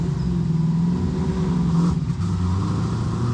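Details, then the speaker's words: Twin-turbo Camaro SS: low, uneven drone wavers and sags as if fighting to stay lit, running very badly under about 3,000 rpm and nearly stalling; tune needs work. "Yeah, this thing is just not running well at all. Okay, are we even going to make it back right now? Shoot. Why isn't it running at all now?"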